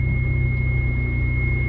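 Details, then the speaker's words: 1992 Dodge Stealth after water pump and timing belt replacement, first start-up: smooth, steady low hum with no ticking or knocking. Normal idle. "That right there is purring like a kitten. Nice and stealthy."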